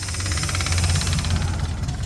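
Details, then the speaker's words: 1977 Dodge motor home, 440 V8 with two-barrel carburetor and single exhaust, first start after sitting for years: deep, steady low idle with slight occasional unevenness and a little smoke. Acceptable normal idle. "oh some little smoke come out but not bad yeah it sounds okay not too bad for sitting as long as it is uh yeah that's not bad at all"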